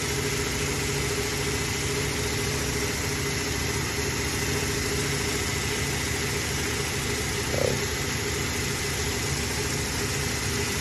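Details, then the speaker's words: Toyota Hilux 3RZ-FE 2.7 L petrol, idle screw turned down below the proper ~900–1000 rpm: very low, uneven, lumpy idle rumble that starts to shake; rough idle from idle speed set too low. "I'm gonna idle it up just to show you that it shakes you could hear the motors like it's the titles way too low and it's shaking too it's starting to shake a littl"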